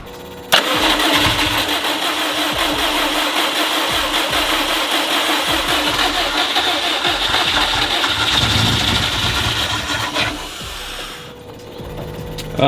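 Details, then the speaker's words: 2004 Subaru WRX STI EJ rod-and-piston short block of unknown mileage, built 7–8 years ago and reused, first start: harsh raspy metal-on-metal scraping over idle, not a clear knock; stock cams, owner suspects failed short block. "it doesn't sound like it's knocking but it sounds like it sounds like metal scraping on metal which would inside something"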